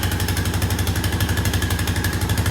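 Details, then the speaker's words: 2001 Honda Foreman 450 ES that had sat for a while, 3,380 on the display, started on full choke: quick, even single-cylinder thumping at a fast idle with no misses or knocks; sounds good. "These Hondas are pretty tough. That sounds good."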